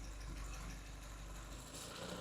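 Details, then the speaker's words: Engine at idle during ignition timing sweep from normal to retarded, less than MBT: low, uneven, labouring beat instead of a crisp run; retarded timing makes it run rough, recovers when timing restored. "This would be our normal timing. And when we retard it, sounds like shit."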